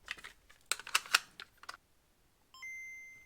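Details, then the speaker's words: DMG Game Boy after no-power/no-display repair, volume turned up: handling clicks, then a single clean boot chime followed by only static instead of sound; fault lies after the chime, cause not yet found. No sound after boot chime, static only. "Okay, we hear the beep and then I just hear static. So, more to this than I thought."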